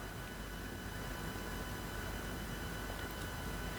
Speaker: Donc j'espère que lors de la vidéo, vous n'allez pas entendre le bruit de la pompe de l'aquarium, parce que en ce moment, je rencontre des difficultés avec la pompe.